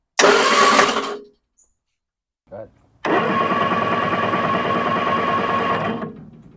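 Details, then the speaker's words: 1966 Triumph Spitfire MK II off the road 41 years, after freeing a seized starter gear: steady fast whirring crank about three seconds, spins freely but never fires; points oxidised, spark to be checked next. "go ahead so as you can see it turns over fine um now we're going to move on to the next step"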